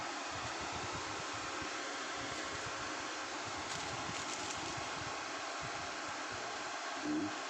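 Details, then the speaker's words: Dead Lakoni Basic 123ix welder after jumpering three pins with wire; the relay clicks. Soft, steady airy whirr with no rattle or scrape. Cooling fan now runs normally. "Oke, terdengar ya teman-teman, kipasnya sudah berputar, relaynya pun sudah bunyi klik seperti itu ya. Ini ya teman-teman, kipasnya sudah nyala."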